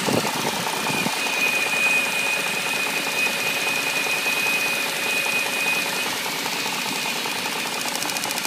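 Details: BMW 740i at idle: thin, steady high whine over a light, uneven ticking clatter with little low rumble; abnormal engine noise of unknown cause.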